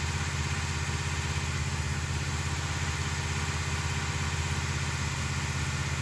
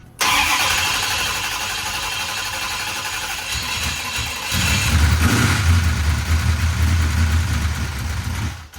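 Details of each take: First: 1968 Dodge Charger with a big-block 440, after weeks of valvetrain fixes: a steady, even idle with a smooth low pulse and no top-end ticking. Normal idle. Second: Used big block 440 in a 1968 Dodge Charger, start after rocker arms and pushrods replaced: cranks, catches, idles with persistent quick ticking, the same noise as before; lifters suspected, the only parts not yet changed.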